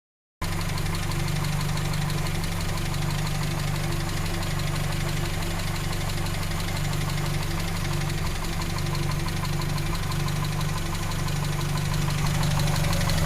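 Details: 1939 7C four-cylinder: even idle with a light, quick ticking over the low hum, about four per second; faulty valve tappet (lifter).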